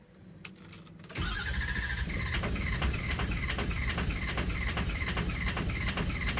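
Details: Ford 6.0 engine: the starter turns it over in a steady rhythm of about 2.5 pulses a second, but it never fires or catches. Cranks but won't start.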